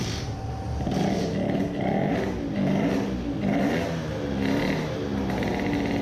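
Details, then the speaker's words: 20 hp tuned two-stroke moped at full throttle after fitting 0.4 mm Malle Carbonio carbon-fibre reeds: high revs surge in uneven pulses with breakup near the top, still misfiring but milder, no bad coughing; tops out around 15000–16000 rpm. "does it rev now like hell... still misfiring but not so bad"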